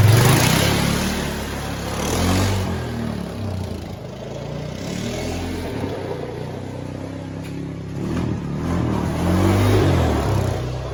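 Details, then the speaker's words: Honda Foreman 450 ES ATV, 618 original miles, after carburetor rebuild and install; even single-cylinder thump about four beats a second, picks up cleanly on small throttle blips without stumble; normal running. "It's electric shift, obviously electric start. Running good, no issues there."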